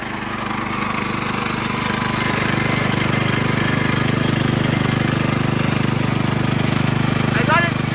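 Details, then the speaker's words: Vintage custom gold trommel wash plant with modified water pump: fast, even pounding beat near three and a half per second over heavy rumble; pump spun too fast and hardly moves water, faster speed gives less flow. "pretty fast and it's hard I got it spinning pretty fast and it's hardly pumping any water"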